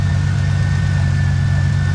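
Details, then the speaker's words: 1997 Mustang just rebuilt with bent rod replaced, first start: engine revved by hand with deep, uneven wobbling beat, no ticking, lifters quiet with oil pressure; seems to be running on six cylinders, spitting and sputtering; rough running. "does it feel like it's running on six it looks kind of wobbly it's kind of hang on i can i'm going to rev it up by hand a little bit see how it sounds"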